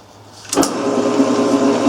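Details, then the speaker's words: Grizzly G1550 8x18 metal lathe from estate sale, 1986: motor spins to steady hum with faint rhythmic chirping from belt side, quieter with cover on; dry idler pulley, a couple drops of oil calmed the noise. "sounds a little better with us cover or the belts are this idler maid is a couple drops of oil dry but calm that noise down a lot"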